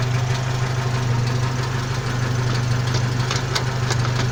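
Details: 1992 Jeep Wrangler YJ at idle: steady low drone with a loose, uneven metallic rattle on top; owner suspects the transfer case, cause not confirmed.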